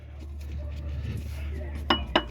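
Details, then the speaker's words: 2004 Hyundai Sonata V6, engine off, AC unplugged: three sharp metallic clacks as the AC compressor clutch plate is rocked by hand, showing excessive play. The clutch and bearing are worn, so the belt is being rerouted to bypass the AC. "See how there's so much play there. Sorry, I was trying to get a good angle for y'all. Come on, focus. There's so much play there. The clutches definitely went bad. The bearings went bad."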